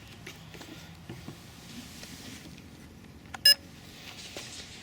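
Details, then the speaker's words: 350 QX3 AP Combo drone after crash rebuild of the body and props refitted: one short clear high beep over a quiet room at switch-on; powers up normally. "it powered up. That's a good sign."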